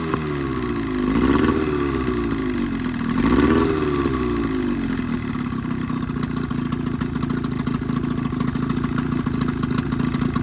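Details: 1985 Evinrude 20hp two-stroke outboard modified to 25hp, after full service, new reeds, primer seals, thermostat; two quick throttle blips then an even idle with no misses or stumbles; earlier lean coughing and spitting fixed, running properly.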